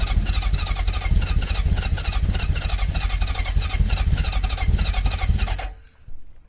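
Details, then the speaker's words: Honda CB750 with problem carburetors (two float bowls overflowing), temporary muffler, tank possibly low on fuel: ragged uneven firing that never settles, then dies; owner suspects it isn't getting enough fuel. "I don't think it's getting enough fuel."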